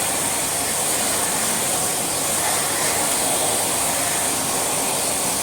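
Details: Swedish-made second-generation Electrolux Dolphin Z2230A vacuum after full refurbishment, dry brass-bush rear motor bearing now greased: even high airy rush with no rattle, scrape or pitch wobble, only slight wind-down; motor running smooth and healthy.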